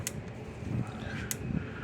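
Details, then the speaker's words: Power Wizard PW2000 electric fence energizer after repair (probably about 3–4 J instead of 2 J). Sharp single clicks about 1.2 s apart over room hum, with the red light flashing and normal steady pulsing. "But that way, so I might have to wait to ship it until tomorrow. But let me plug it in here, turn it on, clicking again."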